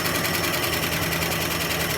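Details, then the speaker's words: 1976 Dodge D100 Adventurer V8 parked 13 years, idling with clutch in; fast, even lifter ticking across the idle. Gauge shows zero oil pressure despite plenty of oil on the dipstick, so oil is not circulating and the engine may be ruined. "All right, kill it. Yeah, this thing ain't doing anything with its oil."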